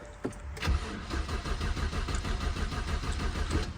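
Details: BMW E82 1 Series project car, first start attempt after swapping a fuse: starter cranks steadily at about two beats a second but engine never catches or picks up speed; crank-no-start.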